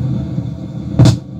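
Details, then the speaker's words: Novik EVO-250A/USB powered speaker, switched on with no audio input: low, steady rumbling hum with sudden loud surges that worsen over time and when moving the potentiometer, which risks damaging the speaker; cause suspected, not confirmed. "moído e agora começou a fazer Picos não falante para mexer no potenciômetro que o barulho se agrava né E fica dando Picos não alto-falante isso pode até acabar ocasionando a queima do auto-falante o rompimento da cordoalha"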